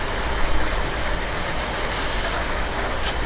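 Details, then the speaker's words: 2014 BMW S1000RR, low on power and top speed, engine off during leak-down test with crank turned manually, valve clearance suspected out: steady rushing hiss of air escaping from the top, likely past a valve; air leak. "There's air from on top. Yeah."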